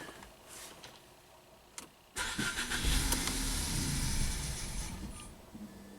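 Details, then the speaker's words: 2017 Ford Focus that starts but won't idle after the owner fitted a used DSG transmission and new dual clutch; mass airflow reads 0 g/s at 60 degrees: engine catches with a bark, stumbles and dies. Rough running with backfiring. "Okay. Something's very weird. It's like backfiring and then blah."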